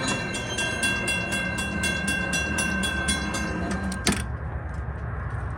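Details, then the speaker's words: Model 3590 railroad crossing gate mechanism after readjusting the screw: bell rings about four strikes a second, then one firm clunk as the arm seats and holds. Finding: normal gate operation, malfunction fixed. "And now you can see that it is properly ratcheted in, and it is not going to move anymore. And the problem of this malfunction is solved."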